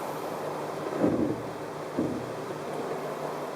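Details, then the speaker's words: 2013 Chrysler 200 after about five miles of normal town driving, which also gives a brake pulsation felt through the steering wheel: two short low creaks as the brakes are let off at a stop; brake creak on release. "in addition to that you're just letting off the brakes there is a creaking noise we'll see if we can hear it"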